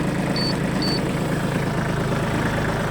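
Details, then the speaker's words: Shibaura D215F Japanese mini tractor diesel with 754 engine hours. Starts very easily and idles with a steady, even chug, no knocks, ticks or rattles; healthy. "ну давайте запускать запускается очень легко работает ровно"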